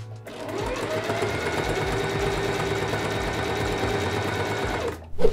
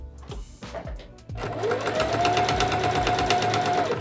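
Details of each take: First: Sewing machine with a good sharp needle after replacing a dull one: fast, smooth, even whir of stitching with no thumping, unlike the thumping of a dull needle. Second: Sewing machine deliberately fitted with a badly dulled needle: steady motor hum with a dull, regular thump about three times a second, unlike the sound of a good needle; needles should be replaced about every eight hours of sewing.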